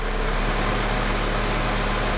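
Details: A Honda Element at idle, with its A/C compressor clutch relay pulled during an on/off relay test, gives a steady, even rumble with a low hum. The low drone dips slightly early on, then runs smoothly. The compressor is off, and the idle is normal.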